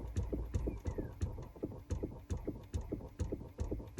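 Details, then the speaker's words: 2018 Chrysler Pacifica, engine and electrics off: quiet, uneven clicks about three a second from the dash by the cabin air filter housing; faulty recirculation door actuator flapping sporadically, replacement recommended. "and again ours is faulty and acting sporadically and up here there is a flap that's constantly flapping like that you can hear it now and again di wirs that is not normal and I recommend replacing that"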